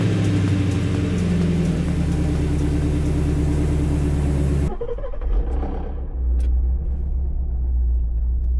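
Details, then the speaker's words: Shelby GT350 5.2 Voodoo V8, startup after oil drain and refill with 5W50: deep idle with light metallic rattle before shutdown; rattle persists, teardown needed. "So it's still there a little bit. You hear the rattle. Definitely gonna have to continue with the teardown."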